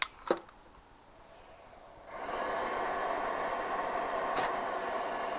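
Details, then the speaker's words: Used Propex HeatSource HS2000 LPG campervan heater bench test, temperature set highest: soft clicks, then fan spins up to smooth steady rushing hiss before igniter clicks and burner fires; normal start-up. "the fans will start for about 10 15 seconds and then you should hear with click uh The Click should ignite the burner and you should hear a change in sound and that's when the uh unit will fire up"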